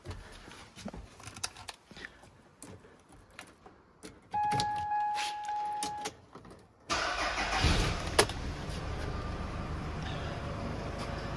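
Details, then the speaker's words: Workshop-stored vehicle, battery freshly charged: few clicks and door chime, brief crank, catches on the button and settles into smooth steady idle; normal cold start. "so um yeah, hopefully this should start on the button. I did give the battery a charge."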